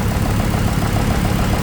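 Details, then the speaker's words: Newly installed Ford engine, just fitted and started, idling slightly shaky: fast, even tapping keeping pace with the engine, heard on both right and left sides; owner suspects a fault between the two camshafts or the timing chain, also probing a cylinder 3 misfire. "algo está mal este está recién puesto nuevecito solo lo puse y lo arranqué y así está con ese ruido y está un poquito tembloroso"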